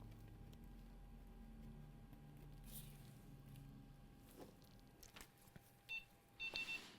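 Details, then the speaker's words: Gigabyte RTX 4070 graphics card under repair, at power-on after visual, diode and resistance checks passed: one short chirp, then a group of three beeps, screen stays black; POST beep code. "Okay. So, we did get a chirp black screen, but we did hear that chirp. One beep and then three beeps."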